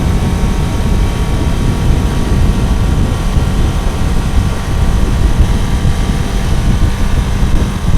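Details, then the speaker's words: Kawasaki motorcycle after fixing the cold cylinder one, which had not fired: dense, steady engine roar with mild revving, no knock or misfire; runs evenly, if slightly rough, still needing fine-tuning; normal running. "na hát ennyi volt végre úgy megy ahogy ennek mennie kell így legalábbis nagyjából"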